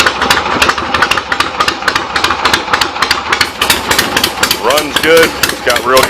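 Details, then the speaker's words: 1975 Harley XLH Ironhead Sportster V-twin after fixes and new intake gaskets, not quite warmed up on the enricher: loping slightly uneven fast cold idle, steady firing, no knocks or misses; carb needs slight adjustment. "compression if I can burn that enricher off all the way and give a little gas still not quite warmed up need to jump the carve a little bit"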